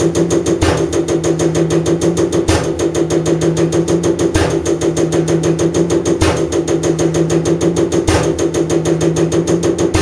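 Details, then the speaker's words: Common rail diesel injector on calibration test bench after turbo failure raised combustion temperatures, over 500 shots: crisp even ticks about three per second, heavier click every two seconds; normal injector firing. "turn your sound off while this is running it'll take a while cuz we're doing over 500 shots"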